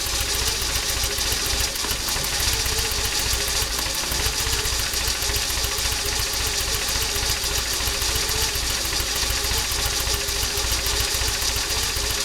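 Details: Toyota 22RE four-cylinder, warm: idles low and uneven, stumbling and sometimes dying at stops; cold idle fine, drives great; distributor and terminals just cleaned, Seafoam spray used in throttle body beforehand; cause unknown.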